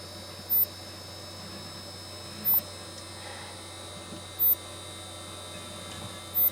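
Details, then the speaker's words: Golden Tee arcade cabinet CRT monitor giving sharp high chirps about every two seconds over a steady hum, with the light flashing: high-voltage shutdown, likely from bad capacitors. "hear the chirp sound it does it every time that light flashes that means the monitor is broke"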